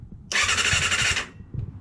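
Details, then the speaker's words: Kawasaki ZXR250, first start attempt in 18 years, with lube squirted into the cylinders: a second-long whirring crank with a high whine, then silence; it turns over but doesn't fire. "turns over nothing as of yet"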